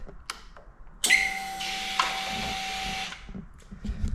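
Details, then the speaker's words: 2024 Harley-Davidson Road Glide CVO ST with about 500 km and a new AGM battery on trickle charge, in neutral with no warning lights: steady starter whirring with a faint fuel pump hum, but it cranks and won't start. Owner guesses an electrical fault, unconfirmed. "You can hear the starter motor, all the fuel pump kicking over."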